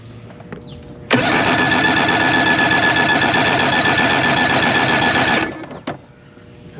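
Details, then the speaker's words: 1993 Evinrude 90 HP V4 two-stroke outboard during compression test: steady even cranking chug about four beats a second; about 120-130 psi, healthy compression. "should be enough. And we got looks like really around 130. So I mean that's good. It means it's getting something."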